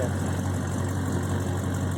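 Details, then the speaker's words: 1970 Dodge Charger R/T, rebuilt 440 V8 (1969-dated block), automatic, frame-on restored, after throttle blips: deep even rumble with steady lope, no knocks or ticks. Normal idle. "Sounds great, runs great, and will for sale on Velocity Classic Cars."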